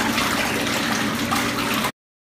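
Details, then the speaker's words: Jacuzzi tub jet pump that only hummed because its motor was hung up, now freed and working: a steady rush of water over an even motor hum with no buzzing or stalling. Normal pump running after the fix. "the top and it is now working so it's a quick fix and it's much better than replacing the motor for your hot tub pull or jacuzzi jet"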